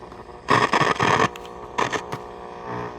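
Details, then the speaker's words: Philco Model 7030 signal tracer at first power-up after a new capacitor: buzzy, distorted bursts with a harsh rattle each time audio plays. The speaker rattles, and a broken voice coil is suspected. "Speaker sounds like it's rattling. That's kind of crappy."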